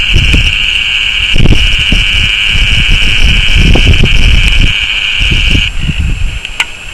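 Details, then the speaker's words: Fujifilm Finepix S2550HD camera recording HD video while zooming: the zoom motor's steady high whine drowns all surrounding audio, then drops away when zooming stops; autofocus also ticks audibly. "the main problem we had with this bad boy is that when you're zooming in the motor is so loud it just engulfs all of the surrounding audio"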